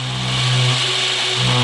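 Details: 11-year-old Anderson M5 RC motocross bike, first run in 10 years, running in reverse: steady electric whir with low hum and bright whine as the stabilizing gyro and drive motor spin; motor runs fine.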